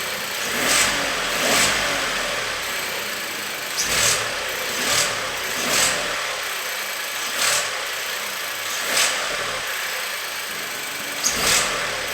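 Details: VW up! 1.0 TSI engine idling with repeated rev blips; a faint hiss or whistle rises with each rev, strange noise of unclear source.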